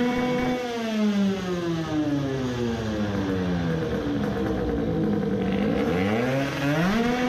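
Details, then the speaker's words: 50cc two-stroke racing moped with a self-cast cylinder, carburetor raised to horizontal with a riser: clean at low revs but roughens and misfires at high revs, no better than before. Next step is replacing the sooty black iridium plug. "it was not that either if that had the slightest difference we should have heard it but it was not any better"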